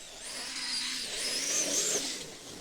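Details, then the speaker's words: On the second test of a Traxxas X-Maxx with an eBay belt/pulley drive, a high buzzing motor whine rises and falls with throttle and carries a rough rattle. The owner suspects the belt slipping from being slack, doubting the set screws have loosened. "maybe it's a belt slipping because I can't imagine those set screws have already come loose"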